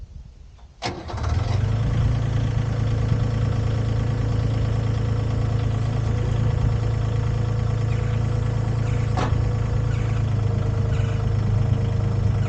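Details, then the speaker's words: Used Komatsu PC10-3 mini excavator diesel, started with the hood down: a short crank, then it catches at once and settles into a steady, even idle with no knocks or misses; starts like a dream, healthy start. "start it and go to work that's another problem starts like a dream"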